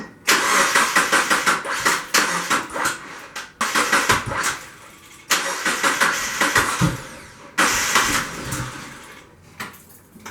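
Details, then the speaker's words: 2000 Mazda Miata after a valve cover gasket, timing belt and other component job: the engine cranks with a fast, uneven starter rhythm over three tries but never fires or catches. The owner fears the rebuild was done wrong; the cause is unconfirmed. "This thing is cranking, but it doesn't sound right?"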